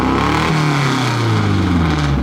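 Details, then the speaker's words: Fake F1 car, idle being adjusted: very loud, deep open-exhaust idle whose pitch sags and wanders unevenly instead of holding steady; rough idle, stays running but doesn't run perfect. "Y, that thing is so loud. It doesn't run perfect."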